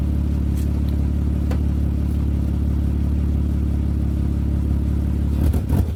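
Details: 2003 Mitsubishi Galant running with new exhaust pipe section fitted unclamped (front section possibly needing welding, gap of a couple millimetres at back section): steady, even low hum with no ticking, puffing or exhaust rattle; runs smoothly and quietly.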